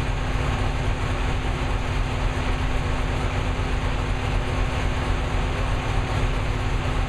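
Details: New V8 with a Lunati 60140 solid cam, after hot valve lash adjustment from about .010 to .014 intake/exhaust at operating temperature: steady, even rumble with no stray knocks or loud clatter. Solid-lifter valvetrain sounds healthy.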